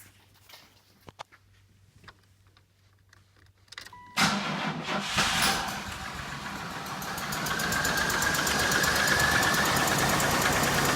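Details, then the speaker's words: 1997 Oldsmobile Cutlass Supreme SL, engine overheated many times; cranks, catches and idles with a faint regular tapping knock about twice a second; only code was cylinder 6 not firing correctly, owner suspects bad valve in head at number 6; engine knock. "doesn't sound bad. You can hear a definite knock."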